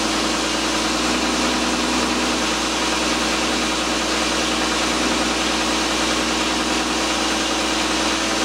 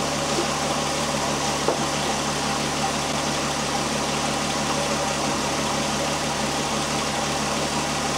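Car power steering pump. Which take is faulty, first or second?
first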